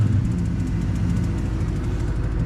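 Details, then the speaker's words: 2003 Ram 1500 Hemi V8 with 426,294 miles, after replacing the throttle body to fix a flashing lightning-bolt light: deep, steady rumble with an even beat and no stumbles or ticks; a normal, healthy idle. "lo and behold, the Dorman throttle body did take and did work. All we had to do was swap it out. Once we got it going, now it's going."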